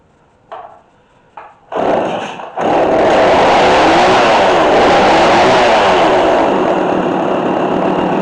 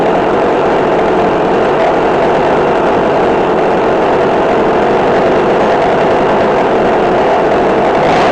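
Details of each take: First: McCulloch Mac3216 32cc chainsaw with 16-inch bar, during repair. Started with a few pulls on choke, then choke in. It catches and revs with a wavering, hunting pitch; it runs, but the carburetor still needs flathead adjustment. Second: McCulloch Mac3216 32cc chainsaw with 16-inch bar, after carburetor adjustment (1/4 turn in, idle adjusted). A steady, even buzz with no stumbling or surging and a slight rise at the end; the carb is set right.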